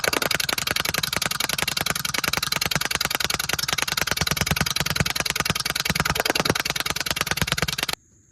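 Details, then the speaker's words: Cheap used riding lawnmower with its small single-cylinder engine's muffler not attached, blade engagement pulley pushed to disengage: loud, raw, rapid crackling bark; exhaust leak from loose muffler. "But I'm gonna crank it up so you can hear the muffler not attached."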